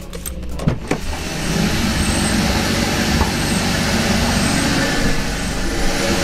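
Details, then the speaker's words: 2013 Kia Ceed GT with replacement engine, cold start after values reset: uneven, lumpy idle with irregular beats; still misfiring. "just as I thought it's still misfiring now although that hasn't worked it didn't cost us anything and it was definitely worth a shot"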